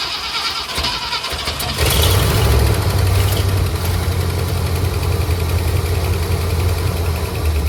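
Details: 1967 Ford Galaxie 500 sitting since 2008, first run after revival: cranks briefly, catches, settles into a low, lumpy, uneven idle; rough idle expected after storage, but it ran fairly well, pulling fuel, so the fuel pump works.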